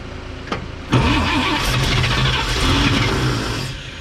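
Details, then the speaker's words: 1954 Chevrolet 3100 pickup, rebuilt engine then stored ~15–17 years in a chicken coop; fuel in carburettor, choke shut, humid day: starter whirs about three seconds, engine coughs as if about to catch then dies back; no start. "Struggling, guys. It wants to so bad."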